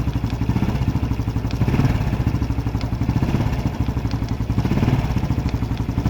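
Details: Honda Biz 125 or 110 single-cylinder at idle with a light, regular tek-tek tapping on each beat over a steady low throb; engine ticking noise, cause unclear.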